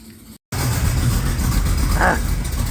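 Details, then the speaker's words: Small-block 350 V8 in a truck, running on Tuned Port Injection with a stock '86 Corvette 350 computer and a cam too big for it, fed from a 5-gallon jug through a high-pressure pump and filter. Deep, even idle rumble with no knocks or misses: runs really good. "it listen to that oh my God he's running really good"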